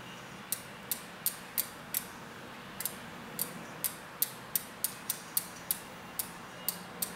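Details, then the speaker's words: Bicycle wheel spinning in truing stand, cable-tie gauge on chain stay: sharp uneven ticks, two or three a second, as several rim high spots brush the tie after the big run-out was removed; wheel still out of true. "because we took out the big the big big run out on the bottom from uh from from here there's actually a few high spots"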